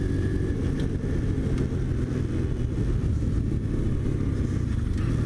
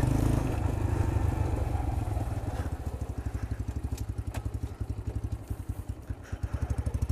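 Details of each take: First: New Chinese X-PRO 125cc sportbike, brand-new engine on first ride being broken in: steady even low drone with no knocks or misses; engine and transmission run well, though it vibrates and needs tuning. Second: New Chinese X-PRO 125cc sportbike on first run: low uneven putter that stumbles and sags, engine bogging; owner suspects low fuel, runs better after adjusting a screw.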